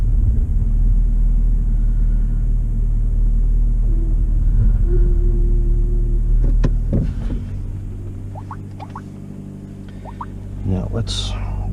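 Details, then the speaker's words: Suzuki SX4 that had misfire codes (P0300–P0304), heard after ignition coil replacement: a low, steady idle rumble with no stumbles or skipped beats, then handling noise; normal idle, though the scanner still showed misfire detected afterward. "I don't know if you can hear that difference but it is running really good so far"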